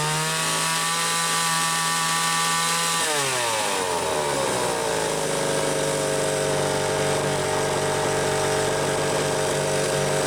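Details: Homelite XL-500 chainsaw with optional silencer muffler, garage test run: idles then revs cleanly to steady even full-throttle scream with no misses; tuned close, running healthy.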